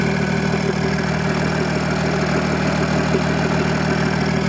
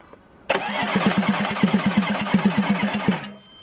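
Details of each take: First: Audi A6 C5 2.5 TDI V6 (AKE) after correcting injection timing and refitting the valve cover: steady, even diesel idle with smooth low rumble, no knocks or misses; starts normally, though jammed turbo geometry still leaves no boost. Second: Audi A6 C5 2.5 TDI V6 (AKE) that won't start even after two injection pump replacements: steady starter cranking, about three even compression pulses a second for nearly three seconds, never catches; cause was incorrect injection pump timing.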